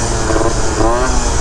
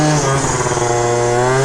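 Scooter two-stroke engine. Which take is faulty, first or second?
second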